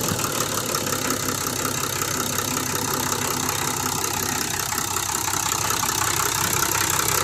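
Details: Engine idling evenly after a fresh valve clearance adjustment, with only a light, quiet valve tick and a steady tone; healthy, properly adjusted idle.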